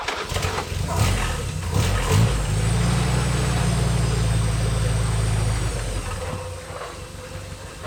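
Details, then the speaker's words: WW2 Willys MB jeep with replacement CJ block at about 12,000 miles, restarted after sitting; lumpy idle with thin high squeal from the swapped-in generator whose brushes were not bedded properly. "you can hear a bit of a squeal in there that's the generator I swap the generators over and I haven't done the brushes on this one properly so it's making a bit of a squeal"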